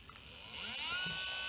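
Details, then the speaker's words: 1800W 48V go-kart electric motor on a speed controller, running on 12V lead-acid batteries at about 50–52V, in the lowest of three speed modes; a clean whine climbs then holds steady and smooth; motor rated 4500 rpm; normal low-speed run. "you can hear that i wish you could see it better but it's it's much different than uh second mode slightly different and then high speed it sounds nice"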